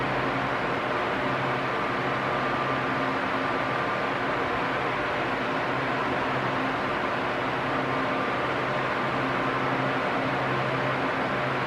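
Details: Arno Silence Force 40 cm fan, nearly two years of use, running at medium speed: a steady, even airy whoosh with a low hum; normal running, though slight vibration noise may develop over time.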